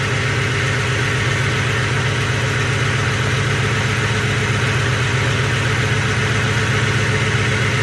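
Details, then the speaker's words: 2007 Ford F-150 4.6 2V V8 with a check-engine light for P0306 cylinder 6 misfire, the motor shaking. The idle has an uneven lope, stumbling about four times a second. "got a engine light and the code is a cylinder six misfire definitely feel the motor shaking and it's not happy at all"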